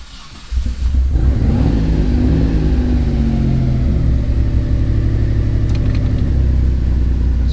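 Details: Mitsubishi 3000GT VR4 / Dodge Stealth being set up with a two-step and flame tune: after earlier dying and a worrying noise, the engine catches and settles into a steady, deep, even run with no knocking or rattling; normal running.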